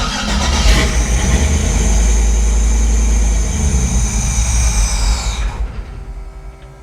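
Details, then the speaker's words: Chevy C10 with LS swap on ACES Jackpot 2 fuel injection, first start, untuned; loud, lumpy V8 running very rich and smoking, sounds like a vacuum leak, then stumbles and dies; owner wonders if fuel pressure is too high. "Holy crap, this thing's rich. How do I take fuel out of it? Woo! It almost sounds like it's got a big vacuum leak or something."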